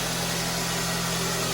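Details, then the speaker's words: First-generation pre-facelift Kia Ceed after a jumped timing chain bent the valves, following repair and oil-pressure priming: steady, even, quiet idle hum with no knocks, ticks or extraneous noise. Normal idle. "все хорошо работает тихо никаких посторонних шумов стуков ничего нету"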